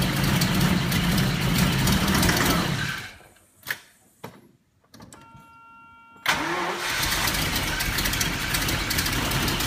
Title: 1990 Jaguar xj-s severe misfire